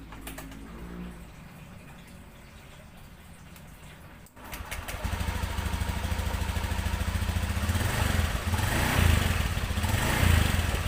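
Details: Final drive of a 2017 Honda Beat ESP (FI) scooter, tested after repairing a rough noise from the rear wheel area: quiet idle, then a smooth, even drone as it revs, with no rough whistle or grinding; final drive running normally.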